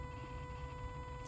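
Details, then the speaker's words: 2001 Jaguar XK8 with the engine off and the key in the ignition position: a constant, steady low electrical buzz from the throttle body area under the hood. "it's like a constant buzzing coming from the throttle body [Music] area"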